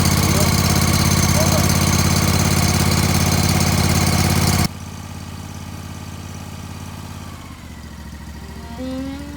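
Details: Zero-turn ride-on mower after the starter was given a quick whack to free the solenoid: the small engine cranks, catches and settles into a steady, even beat around three and a half firings a second, running normally.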